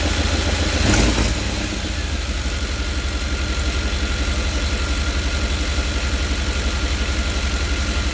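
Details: 5.7 L TBI V8 at idle, interior engine cover removed: loud rough idle with a raspy puffing pulse on the exhaust beat, running louder than normal; exhaust leak somewhere in the engine compartment.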